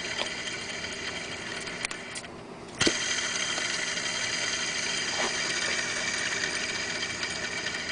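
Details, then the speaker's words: Worn belt tensioner pulley on a BMW 330i (E46), front of engine on the water pump, alternator and power steering side, original part before removal: steady high whirring with a light rattle over the idle. "here's a quick video on what the original tension pulley sounds like before I take it off the motor take a listen here"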